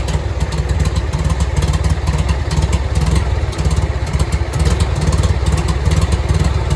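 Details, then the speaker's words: Farmall Cub 140 four-cylinder after five years sitting and a basic tune-up, with timing corrected and a leaky carburetor possibly running rich: it now runs smoothly with a steady low thrum and light clatter, good oil pressure, and idles down well. "she just coming now just a humming I'm pretty happy with that"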